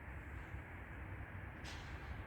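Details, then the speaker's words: Soosan crane manipulator hydraulic pump drones steadily when lowering or slewing, starting after oil was added; oil foams and shows air in the clear return hose; aeration from a clogged tank filter. "при работе опускание крана либо поворот экрана появляется гул звук начал являться после того как добавили масла в чем может быть причина"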